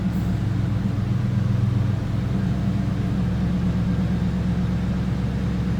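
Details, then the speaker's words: 2001 Ford Mustang GT Bullitt V8 with 15,016 miles, just started, at idle with no warning lights: deep, smooth, even burble with a steady beat and no ticks or knocks, a healthy normal idle. "No warning indicators, check engine lights, anything like that. Just the seat belt lights. And so my seat belt on, gauge is working. Nice sounding car too."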